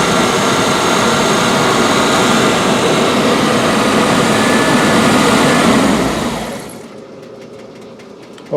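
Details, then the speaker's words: 1984 Rolls-Royce Corniche after replacing injectors on one side only, warmed up: smooth even hum with no stumbling before shutting off; former hesitation and lumpiness gone. "that's pretty good it doesn't seem to have uh the hesitation that it used to all the lumpiness"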